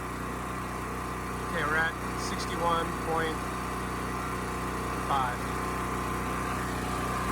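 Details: Champion 40026 generator (3000 running watts, 120 V) after carburetor cleaning (rusted tank): steady, even drone with no misses, surging or knocks, holding speed at half load, about 60 Hz; running clean.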